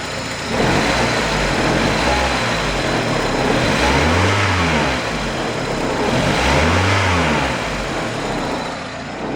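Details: 1993 Toyota Corolla, 26 years old, with JDM 7AFE 1.8 L engine from Engine World, new water pump, filters, seals, oil and radiator: two clean smooth revs from steady idle, no knocks, ticks or rattles; healthy.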